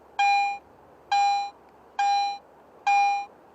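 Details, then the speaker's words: Garrett AT Pro in standard audio mode on a silver coin: four identical mid-pitched beeps about a second apart, each at the same loudness until the target is no longer detected. "Listen to this silver coin in standard mode. Notice that the volume of the response is always the same until the target is no longer detected."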